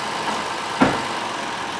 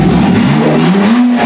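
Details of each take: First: 2007 Honda Odyssey 3.5 V6 towed in with no power, won't come off idle: throttle opens but engine only huffs without picking up revs; suspected plugged exhaust or timing way off. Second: 2007 Honda Odyssey 3.5 towed in with no power, unable to leave idle, now fixed after an Italian tune-up: strong, clean, free rev with rising pitch and VTEC engaging, no stumble.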